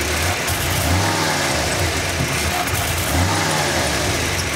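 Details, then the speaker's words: 1988/89 Ford F-150, EEC IV system, fuel pressure about 48 psi; snap throttle brings a dull pop back through the intake and a stumble/breakup before revs climb; hesitation not a fuel pressure problem, cause not yet found. "Has a little hesitation on Excel. Looks like a little bit of a breakup."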